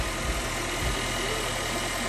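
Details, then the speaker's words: 2013 Nissan Juke 1.6 L turbo after a timing chain rattle repair: even, steady idle with a smooth low hum and no rattle or ticking, quieter than before; normal idle. "I got a new belt installed and the vehicle is running which is running good and quiet walk quiet than it was anyway"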